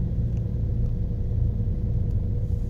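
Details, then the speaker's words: New Mercedes-badged car, heard from the engine bay while climbing a hill on a city road: heavy low droning thrum with a dull throbbing du-du-du and clacking under load; an abnormal uphill knock of unknown origin. "小伙伴们再听听这爬坡的时候发动机舱声音这咯哒咯哒声音不正常吧听到了吧嘟嘟嘟的声音"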